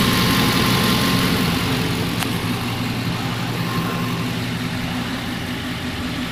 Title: Ниссан Армада 2004г что за стук после кап ремонта ДВС(1)